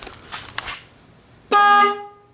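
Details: Newly fitted horn on a rebuilt Kawasaki KDX 200 dirt bike, mounted on a bracket beside the radiator facing forward: one firm half-second honk with a clean, steady tone; horn works properly.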